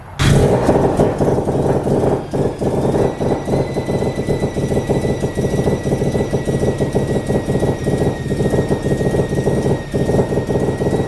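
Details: Mazda FD RX7 RS Series 8 bridgeport rotary with Hypergear T51R single-turbo conversion, first start, untuned, turbo on open dump with no muffler: very loud, raspy, uneven idle with hard popping edge and thin whistle; exhaust leaking at turbo clamp.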